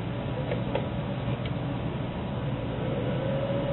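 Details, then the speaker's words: Reassembled Dell server power supply after DC ground isolation modification, plugged in: fairly noisy steady rushing fan with faint tone rising near the end, fan spinning up normally; outputs about 12.5 V. "she fires up the Fan's fairly Lo noisy so you'll hear it right away"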